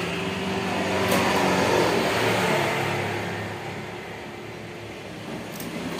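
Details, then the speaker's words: Honda Scoopy ESP fuel-injected scooter on a borrowed battery; idle climbs for a couple of seconds, then sags and rises again, with weak fuel pressure. "ya lah ini ya stasionernya naik turun mesinnya ya di sini untuk tekanannya lemah"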